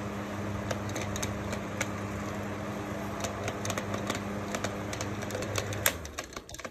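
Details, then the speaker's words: PC fan with broken blades: uneven rapid clicking, about three or four ticks a second, over a faint motor hum as it struggles, unable to spin properly; broken fan blades. "you definitely hear us not even spinning it close because of how broken the blades are"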